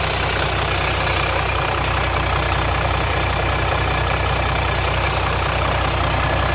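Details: 2007 Jeep Grand Cherokee 3.0 CRD diesel at idle after oil pressure light came on, oil level correct: steady metallic rattle about three to four beats a second; owner suspects timing chain but noise not localised at front.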